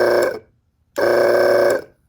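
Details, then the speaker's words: RV travel trailer water pump after the faulty pressure microswitch was put back in place: on releasing the held button, the pump kicks on by itself with a steady buzzing whir, runs evenly and stops. Normal start; the switch works as it should. "So, that works the way it should."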